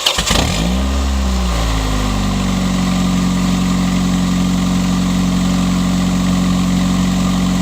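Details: 1999 Honda Accord's first start after 3 months, subframe just reinstalled, on the old uncharged Walmart battery. A quick crank, catches and flares, then drops to a smooth, steady idle with an even low hum; healthy start.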